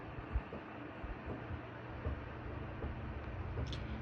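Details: Air conditioner just switched on for summer gives a low rumble with irregular dull pops about once a second, getting louder; technician says a fitting on the drain hose outside fixes it, air pushing back through the drain hose.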